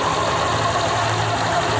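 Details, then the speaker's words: Honda Vario 125 LED ESP scooter after CVT disassembly, cleaning and bearing greasing: steady even idle with smooth low hum, no rattles, scrapes or knocks; CVT runs quietly and healthy. "enggak ada suara apapun yang terdengar ya, seperti halus ya. Enggak ada apa-apa ya suaranya."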